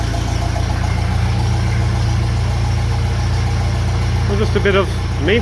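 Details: 1957 Ferguson FE35 TVO tractor after tappet adjustment and rocker cover leak fix: steady even low idle, soft regular beat, no misses or spitting; normal idle.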